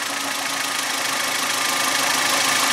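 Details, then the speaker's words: Suzuki G16B 16-valve engine (Geo Tracker) running after a valve lash adjustment, done after the engine sat cold for 24 hours: smooth, even hum rising gently with revs, light ticking fading, no knock. Healthy, quiet valvetrain. "that's how you know if you got your lifters in and the motors running good you got a little shake to the bottle"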